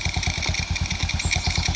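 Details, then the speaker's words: Suzuki Smash Titan single-cylinder motorcycle after piston replacement (Shogun 0.75 oversize), new oil and oil filter, run nearly an hour, idling: even, steady idle about seven soft pulses a second, no knocks or rattles; smooth, healthy engine. "oke suara halus halus punya suara"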